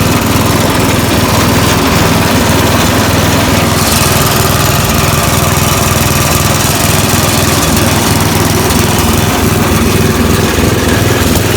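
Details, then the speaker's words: Snapper riding mower, after the fix for a blade that had come off and caused violent vibration. Started in neutral, the engine drones steadily with the blade spinning and no shaking; the deck is running smooth and balanced. "Alright, so that's all it was. I thought it was going to be worse than that, but not a real big deal."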